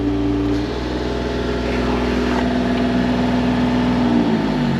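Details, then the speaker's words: Mini-excavator hydraulics test after fixing the engine running issue, one-way valve not yet replaced: steady engine drone with an even pump tone and no relief-valve squeal; normal hydraulic operation. "she appears to be working great hey fix the uh the running issue and everything else to follow all right not going into relief so that's a good sign"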